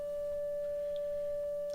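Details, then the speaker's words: 1935 Philco 54C speaker, cold field coil at 40 mA and 114 V (about 2,850 ohms, near 2,600 spec), playing a tone near 600 Hz; clean, steady, no rattle, buzz or wavering, field coil working properly. "the volume will go up because the magnetic field will be getting stronger"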